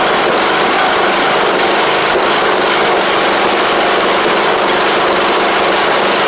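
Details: John Deere LA100 riding mower, long-sat, running off choke: a steady, fast buzz at even speed with no misses, knocks or ticks. It runs smoothly; owner suspects a failed spark plug and expects run time to help.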